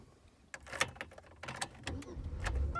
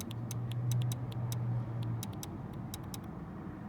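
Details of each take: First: 2001 Buick Century after fixing the faulty idle air control valve: the engine cranks briefly and catches within about two seconds on the first crank, with no gas pedal needed as before; a clean, normal start. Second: 2001 Buick Century with the key in the ignition: the idle air control valve makes a faint, sharp tap-tap-tap about three times a second over a low hum, traced to the valve with a stethoscope; it is the suspected culprit.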